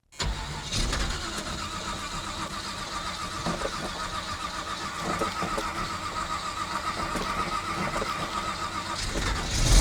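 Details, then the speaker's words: 1979 Camaro with 010 small-block Chevy, aluminum heads and LS-style 4/7-swap cam: idles rough with hard, uneven heavy knocks, a severe bottom-end knock; engine considered toast. "I don't know how well you guys heard that but it's bad I mean it's knocking pretty dang hard here"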